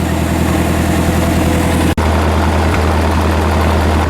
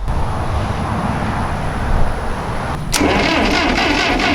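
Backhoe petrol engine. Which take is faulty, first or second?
second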